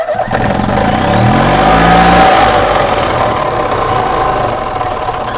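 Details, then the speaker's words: 2005 EZGO golf cart burning oil past its valve seals and fouling plugs, running on ultrasonically cleaned spark plugs, revving in neutral: it revs much higher, while a thin, high squeal rises and falls with speed from a squeaky belt. "We got a squeaky belt, but that is revving way higher."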